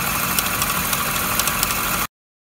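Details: MINI R60 Crossover idling with a harsh, steady high-pitched whirring rattle and faint irregular ticks from a deteriorated water pump pulley.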